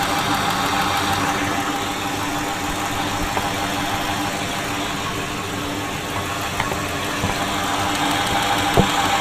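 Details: 2000 Ford F-250 Super Duty 5.4 L (330 CI), injectors with 260,000 miles, intermittent rough idle and a miss: fast, even crisp clicking over idle hum, all injectors ticking alike; injectors sound normal, clog still suspected.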